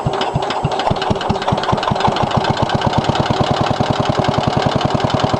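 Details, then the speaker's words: 1963 Cub Cadet original single-cylinder engine on cold start after a no-spark fix, idling with a hard, sharp knock on every beat; owner says bad head gasket, metal flakes in oil, engine needs rebuild or repower. "there she is knocking in all her glory got a bad head gasket"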